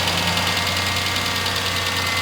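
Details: 1998 Ford Ranger 4.0 L V6, automatic, 62,993 miles, out of service about a year, ex public-works truck, idling with a steady sharp fast ticking knock; source unidentified (top, bottom or middle), valve cover gasket leaking oil.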